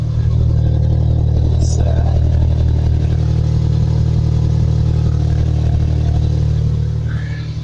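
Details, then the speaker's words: Toyota Corolla with a modified Magnaflow cat-back exhaust and twin back boxes gives a deep, steady, loud drone and low rumble with no rattles or blowing; a healthy aftermarket exhaust. "The exhaust now as well is really decent because it's modified."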